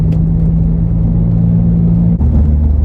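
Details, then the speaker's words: 2006 VW Golf GTI that had been misfiring badly with a flashing check engine light, coil packs fiddled with, after a 10-minute drive: deep, even engine drone under load with a smooth gear-change pitch drop; no misses, runs normally. "we've been driving around for 10 minutes now and it hasn't missed at all which I guess is good"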